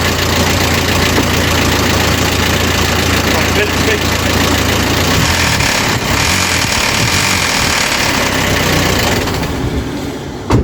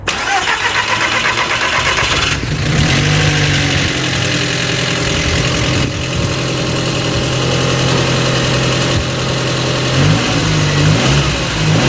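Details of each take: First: Audi TT Mk1 1.8T Quattro 225bhp manual at idle: loud, uneven metallic timing chain rattle, easing above about 2,300 rpm or on a blip; hydraulic tensioner starved of oil loses tension, so the chain slaps the timing cover. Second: Audi TT Mk1 1.8T quattro 225bhp 6-speed manual after repair of a rattle at idle up to about 2300 rpm; cranks, catches and settles to steady even idle, no rattle; normal idle, fixed.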